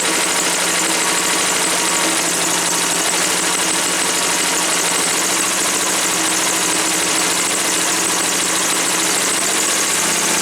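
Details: Woods 6180 zero-turn mower, 18 hp Briggs & Stratton Vanguard V-twin, with an air filter borrowed from another V-twin: steady, even idle with no misses, knocks or hunting; running fine.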